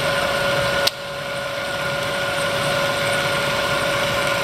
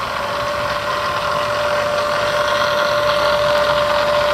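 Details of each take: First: Bridgeport 2 HP vertical milling machine, 9" x 48" table, variable speed head (60–4200 RPM), R8 spindle, three quill power feed rates: steady spindle whine, one sharp click as the quill feed knocks off on the downstroke; smooth, normal operation. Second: Bridgeport 2 HP vertical milling machine with variable-speed head, running in low range: steady whine with faint quick gear chatter in the head, blamed on gears improperly adjusted by a previous repairer; called harmless.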